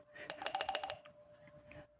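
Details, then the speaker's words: MAN-B&W slide-valve fuel injector for S50MC main engine, disassembled: about six quick light metallic clicks as the injector is shaken, the spindle sliding freely inside as it should, not stuck; free-moving injector spindle. "Yeah, you can hear that. It should do that, otherwise it's kind of stuck inside."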